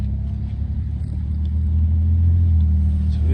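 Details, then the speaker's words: BMW 328i 3 Series 2.8 pulling away slowly after failed drop link replaced (loud wheel grinding was suspected brakes): steady road rumble, no grinding now, only slight brake skimming from sitting; ABS sensor rubbing slightly; normal driving. "There's no grinding now. You can hear the brakes skimming a bit, but it's been sitting for a while."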